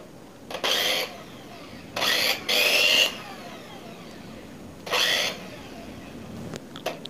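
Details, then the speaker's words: Second-hand knockoff Philips hand mixer, before repair: short bursts of a harsh, buzzy motor whir with a coarse, uneven edge and vibration on start-up. The rough spin points to a loose, worn rear bushing; an earlier fault was in the motor mount. "Ternyata ini benar-benar kasar. Enggak gurubug. Waktu dihidupkan itu getar ya, bergetar."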